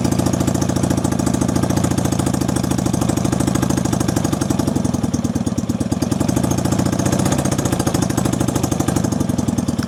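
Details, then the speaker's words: 1965 Honda CB160 161cc parallel twin with cut pipes, fast lumpy idle with a hollow beat as if running on one cylinder; stalls when given gas, and owner is unsure whether it is running rich or starved of fuel. "feel like it's running on one cylinder almost, but"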